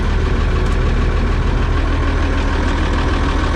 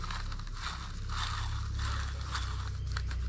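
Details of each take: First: Oliver 7300 combine after variable speed drive thrust bearing replacement (old bearing dry and rough): heavy diesel at a steady even drone, no grinding or knocking from the drive, quieter than before from the cab. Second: Oliver 7300 variable speed thrust bearing, removed from the combine and spun by hand: dry, gritty ratcheting crunch rising and falling with each spin; the bearing feels dry and is badly worn, near failure, and is being replaced.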